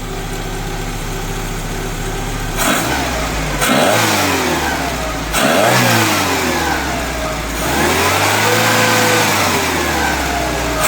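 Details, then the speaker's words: 1974 VW Passat B1 with swapped-in GTI engine, timing just set, throttle cable not yet fitted: engine blips up and falls back several times, clean even note with no knocks, misfires or rattles; smoke only grease burning off; healthy. "And as you can hear, the engine's running sweet. Now, ignore all this smoke. That's just where I've had greasy hands all over the exhaust, over the engine."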